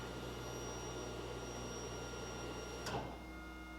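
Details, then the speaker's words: Electric water pump being rewired from an ignition-powered wire to a switch: faint steady electric hum with thin whine, a click, then tone shifts as switch turns it on; normal electric water pump operation. "Water pump is not on at the moment. With the switch,"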